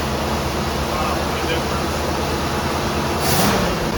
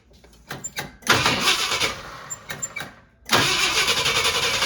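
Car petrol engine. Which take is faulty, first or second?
second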